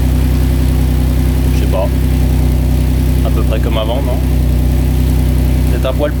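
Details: Maserati 4.24V 2.0 V6 Biturbo under restoration, after muffler repaired and some rock wool removed: deep steady even V6 idle, no puffing or ticking from the pipes; exhaust sealed, leak gone, healthy.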